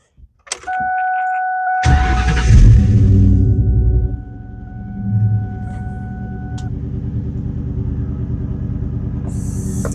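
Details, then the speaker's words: Engine started after an oil change, following earlier running with no coolant (got hot): starter cranks briefly, catches straight away and settles into a steady, even high idle; started right up, normal cold start. "Started right up."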